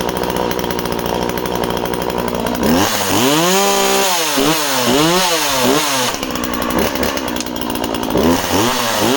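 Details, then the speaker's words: Project chainsaw, a Husqvarna 136 or Skil 1644, two-stroke: starts and runs well, revving in quick bursts to a sharp, slightly thin high note; owner suspects it is a touch lean and may richen the carb slightly. "so starts and runs really well. Might be a tiny bit, I thought she sounded a touch lean about 10 minutes ago."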